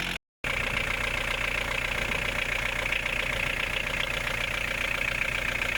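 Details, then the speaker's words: VW 1.9 TD diesel quick start after a timing belt, water pump, pulley and fuel filter change, covers off: even, steady diesel clatter with no rattle or hunting; healthy idle. "but before I put the covers on, I want to start the engine and see how it sounds like, how it runs."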